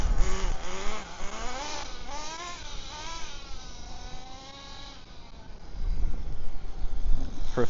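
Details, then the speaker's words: HPI Firestorm nitro RC truck driving, warming up, after fixes for stalling when braking: the engine revs cleanly, with no stalling when the brakes are on; a massive improvement, though it still needs tuning. "turn brakes on no stalling that is a massive Improvement still needs tuning but uh it's going in the right direction"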